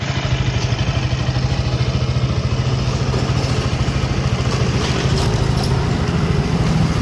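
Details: KTM RC 200 motorcycle idling: steady thump under a light metallic clatter from a slack timing chain, cured by replacing the chain tensioner.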